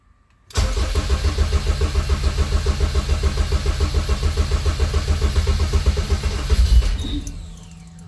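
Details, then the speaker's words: Honda K24 engine just swapped into a CRX, first start: it catches and runs with a lumpy pulse for several seconds, then dies on its own; running sounds good otherwise. Stall, cause unknown. "I'm not sure why she's turning off by herself but when she is running sounds good"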